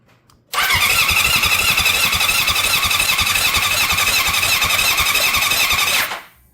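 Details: Honda CB750 cafe racer after full rebuild, rewired with new connectors and Motogadget M-Unit; starter whirs and the engine spins steadily about five seconds but never fires, no spark found, crank-no-start.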